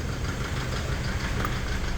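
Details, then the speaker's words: Toyota Vigo 3.0 diesel at idle after rail-end sensor and SCV replacement: heavy, uneven low clatter with knocking and shaking; scan data shows poor injector values, cylinder 3 strongly off, so injectors are suspected. "แต่ปัญหาที่เจอตอนนี้คือเครื่องยนต์มีเสียงเขกแล้วสั่นดูจากเครื่องสแกนแล้ว"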